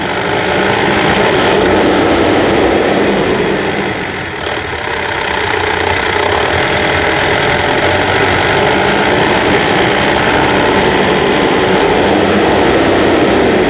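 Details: Mitsubishi Triton Savana manual, 150,000 km, serviced for first gear popping out and gearbox noise: steady, even idle with constant rumble, no misses or knocks over about fourteen seconds; engine healthy and smooth.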